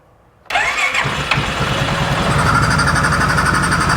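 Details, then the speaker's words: 2015 Polaris Sportsman 570 EFI, left outside for years with a reported blown motor, on its first start after a fuel pump prime: a quick crank, then it fires and settles to a steady, quiet single-cylinder idle. It is loud only because the intake is off, with no check-engine light. "time this motor sounds absolutely quiet now it's loud because of that intake not on there"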